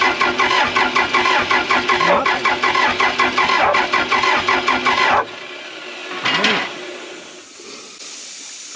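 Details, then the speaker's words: Case 450B bulldozer diesel while bleeding the Roosa Master DB injection pump after long sitting with bad old fuel: steady starter churning about five seconds, never catching, then stops. Owners suspect fault inside the pump; cranks, won't fire. "I don't think it's going to happen today either, which is, I guess, somewhat good in the sense of last time, at least we weren't insane when we were up here. Something's going on inside that pump."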